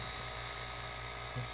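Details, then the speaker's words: DIY silent air compressor, completed build with modified check valve; soft steady low hum, faint thin whine and airy hiss of air rushing through, slight buzz from the check valve; motor running virtually silent, normal. "that's what it sounds like virtually silent you still hear maybe a slight little buzz again it's still that check valve there's no way around that and I think a little bit of it now I can actually hear there's motor running you can hear the air rushing through here more than you"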